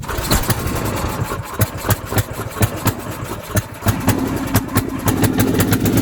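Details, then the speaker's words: Snowblower small single-cylinder engine after auger belt replacement, refuelled with fresh fuel (about a third of a jerry can): putters with sharp firing pops, uneven at first, then steadier; running properly now. "I put in like a third of that jerry can. Oh, it sounds like a lot better."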